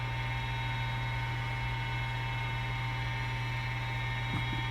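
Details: Gas fireplace blower fan heating a room in Canadian winter; constant low electrical hum with a thin buzz over it, steady throughout; loud blower, wear suspected but not confirmed.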